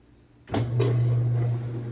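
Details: Whirlpool direct-drive washer after replacing a broken motor-to-transmission coupling: after a quiet start, a steady low motor hum holds smooth and even with no rattle or knocking; normal running after repair.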